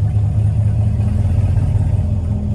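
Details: 2016 Chevrolet Camaro SS V8 with recurring P0700 code, after restart: idle rises and falls by itself with no throttle; surging idle, owner unsure, suspects throttle body, fuel pump or wiring.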